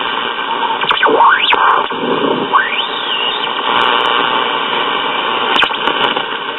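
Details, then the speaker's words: Packard Bell five-tube AM radio, probably late 1940s: steady static hiss with whistles sweeping up and down in pitch; a hand near the oscillator greatly subsides it, and swapping the 12SA7 helped some, but the squeal remains. "all right when i bring my hand up close to the oscillator [Music] you can hear it all subsides greatly"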